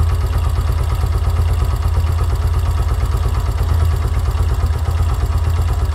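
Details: Yamaha YBR125 single-cylinder CV carburetor, idle mixture screw turned out near 3 turns: low lumpy idle with an uneven beat that sags and stumbles, barely running with low rpm; idle mixture too rich.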